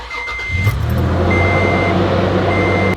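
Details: Truck engine started after water pump replacement and coolant refill: starter whirs briefly, engine catches cleanly and settles into an even, steady idle with a warning chime over it; normal start and idle.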